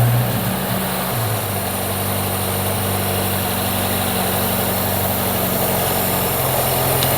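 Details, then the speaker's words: Freshly rebuilt Ford Pinto 2.0 four-cylinder in a Mk1 Ford Capri, just started after timing set: steady, even idle with smooth low tone, no knocks or misses; running clean and well timed. "Listen to that. Absolutely spot on."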